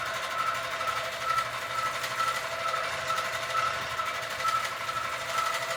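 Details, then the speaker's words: Sewing machine quilting a Christmas quilt, making a sound the owner calls not normal, cause unknown; excessive bounce also noted, something possibly too loose. Steady stitching whir with a sharp tick about once per second. Abnormal stitching noise. "One. Two, it is making a sound that my machine is making a sound that is not normal sound."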